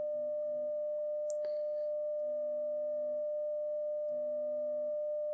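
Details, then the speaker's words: Telefunken Gavotte 55 tube radio after recapping, during an amplifier test: a steady, pure mid-pitched test tone with no low drone beneath it; the hum is gone, traced to a dirty tube socket needing cleaning. "anyway that's progress so far okay watch this if you can hear the hum gone"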